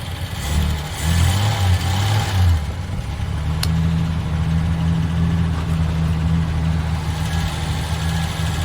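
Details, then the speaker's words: VJ Dodge ute, warm and jump-started, after its gearbox was fitted: steady, even low rumble with no knocks or rattles, much quieter than at its first start. Normal running. "Can't believe the sound of that engine now. Hardly hear it running compared to what it was when I first started it."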